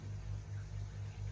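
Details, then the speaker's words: Koi pond air source heat pump with a 3-bladed fan, switched into silent mode at much lower output: only a low, soft, even hum with a gentle fan swell and nothing rough or rattly; quiet normal running. "You can hear, I mean, it's still going, the fan's still going, so it puts it into a lot lower output,"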